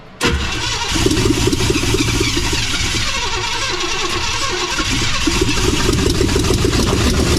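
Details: Barn-find 1956 Chevy 3100 half-ton with a 396 big-block V8, on its first start attempt with a helper giving throttle. It cranks briefly, catches at once and settles into a deep, steady idle with light revs; it sounds healthy.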